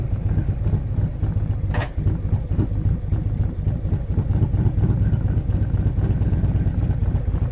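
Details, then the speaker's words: 2023 Harley-Davidson Street Glide ST Stage 2 (CR483 cam, Bassani header, ThunderMax) on cold-day test ride: deep even V-twin rumble under way, steady pulses, no knocks or rattles; rider reports it needs nothing, normal running. "Tony's froze to death, but he reports it don't need nothing. and I believe him because he knows what he's listening for when he rides these things."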